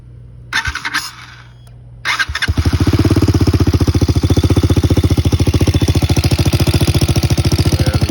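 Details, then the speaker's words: Lifan Xpect supermoto single-cylinder idling after its homemade exhaust weld near the O2 sensor was sealed with FiberFix heat wrap to stop air leaks; after a few cranking bursts it fires into a steady, even thump with no puffing or ticking, normal idle. "So we'll see if she sounds good though."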